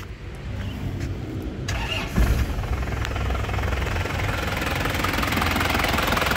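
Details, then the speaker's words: 2005 Isuzu Panther Grand Touring turbo diesel, engine and turbo dry with no oil leaks; cranks briefly then settles into a steady, even, crisp diesel clatter with no knocks or odd rattles; normal healthy start and idle. "Lur, suara mesinnya kelihatan renyah ya, khas penter suara aneh-aneh ngeplek atau apa, enggak ada ya. Jadi suaranya masih renyah tandanya itu mobilnya masih sehat ya."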